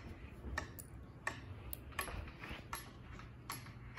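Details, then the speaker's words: 52-inch Redington ceiling fan running in a quiet room: sharp, dry click about every three-quarters of a second, around 80 a minute, steady; something inside the motor housing, cause unknown, not fixed. "on that something's definitely messed up with this fan i don't know what's wrong with it there's something inside the motor housing"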